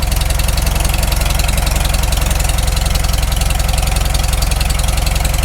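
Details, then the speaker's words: Farmall Super M tractor, first start after full engine rebuild, initial carb settings, still cold: even, steady low idle about three beats a second, no knocks yet (owner expects knock once warm); normal idle. "can't hear any knocks yet oh it's still cold it'll knock once it warms up"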